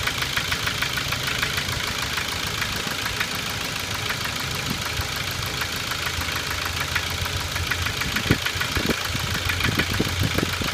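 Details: 2006 Ford Focus II 1.6 100 hp automatic: fast uneven ticking knock at idle at camshaft frequency (~400/min), disappearing above 1500 rpm; unchanged after 90,000 km; owner suspects camshaft knocking in its bearings, alternatively piston pin or piston slap.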